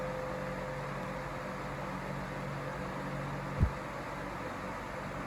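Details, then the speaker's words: iLIVING 20-inch turbo high-velocity fan on low speed: steady soft whoosh of air with a low, even motor hum and slight motor whistle, no wobble or rubbing; normal low-speed running. "relatively quiet I think it's quieter than the Patton fan low to hear the motor whistling"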